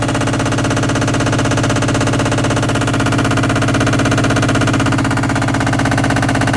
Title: All in one washer dryer combo making very loud noise only during spin cycle.